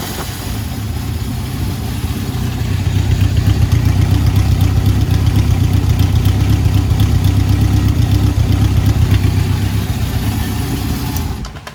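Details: 1971 Honda CB750 K1 four-cylinder, about 18,000 miles, after carb synchronization and clutch work: smooth, even idle at a steady low pulse with no misses or stumbles. Normal idle.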